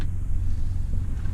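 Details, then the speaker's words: Cessna 310 with Continental engines, before engine start, with mixtures full forward, mags, alternators and masters on: a steady, even low hum from the wingtip fuel boost pumps without surging. The pumps are operating normally. "can hear the pumps working out in the wingtips, that's good."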